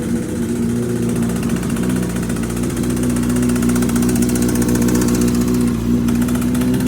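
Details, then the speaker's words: Yamaha R6 project bike started with a borrowed tank and fresh fuel; even idle with a fast, light ticking that follows engine speed, source still unknown; engine ticking at idle. "We still got a noise. So we need to track that down to figure out what's going on. Ticking noise."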